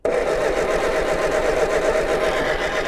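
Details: MG TD backyard find, "ran when parked": the starter turns the engine over at a slow, uneven chug with no catch or firing. It cranks but won't start, and the distributor points are then found badly corroded.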